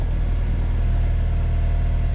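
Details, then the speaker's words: 1994 Honda Accord, 256,000 miles, after throttle body cleaning and idle screw turned fully in: steady, even warm idle without surging, right over 1,000 rpm. Idling too high; cause still unconfirmed, smoke test for vacuum leak planned. "right over the 1,000 mark. So I'm gonna go ahead and try to figure out why it's idling too high."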